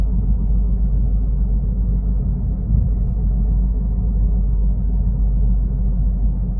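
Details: Worn wheel bearing heard inside a moving Toyota Corolla Altis: a steady, deep droning rumble, the low hum of a bad wheel bearing.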